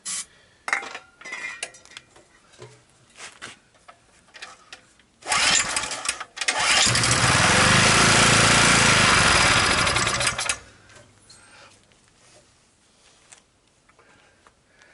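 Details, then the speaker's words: Abandoned, near-new 2 kW generator that would not start; on starting fluid it catches after a few pulls, runs rough about five seconds, then dies; likely not getting fuel; engine starts then dies. "it seems to run on the starting fluid and then it dies"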